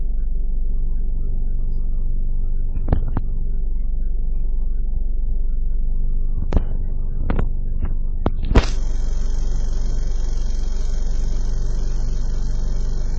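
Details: 2009 Ford Focus, 2.0L 4-cylinder, automatic, about 45,000 miles: a low, steady idle hum with an uneven throb and a few sharp knocks; the engine is idling roughly.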